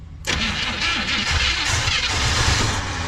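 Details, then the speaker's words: 1970 Chevy C30 farm truck with a V8 (believed to be a 350) parked up to 38 years, carburetor bottle-fed: the starter cranks, then the engine fires unevenly and picks up as fuel arrives and the pump starts pumping. "whoa whoa whoa whoa whoa now it's got some fuel in it the fuel pump is pumping all right"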